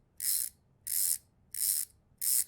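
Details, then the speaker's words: Bicycle rear hub turned by hand: four crisp bursts of fast, high-pitched ticking with quiet between, the same clicking heard when coasting or pedalling backwards; healthy freehub pawls ratcheting between hub and freehub body. "makes that same clicking noise what on earth inside of this mechanism is making that happen"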